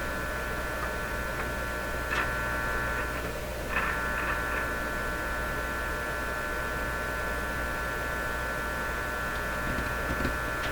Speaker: I'm gonna give this a that P percent chance of being the fix 50% that same buzzy hum I was talking about actually given odds on it making it worse probably cheese